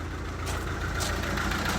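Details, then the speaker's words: Mercedes A180 CDI diesel, replacement engine with only 20,000 miles: low uneven chug at idle, misfire from injector open circuit on cylinder three. "a mercedes with a rental engine in with only 20 000 mile on misfiring because there's an injector going off as you can see a180 cdi it's chugging away"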